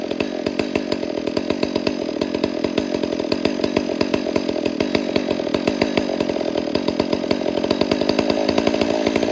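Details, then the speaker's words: Rebuilt Garrett 460 chainsaw, being broken in and carburettor tuned by ear: richening the low-speed screw drops the idle and even two-stroke popping settles straight back down to idle; target idle about 2,800–2,900 rpm; low-speed mixture set right. "See how it comes right back down to idle?"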